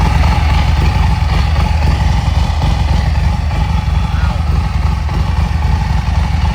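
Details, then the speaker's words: Harley-Davidson Street Glide Special at idle before clutch job: loud, uneven clattering slap under the lumpy V-twin idle, too loud inside; cause unknown, primary chain with hidden tensioner suspected. "so it's definitely something's not right. It's definitely a little too loud in there. We don't know what it is."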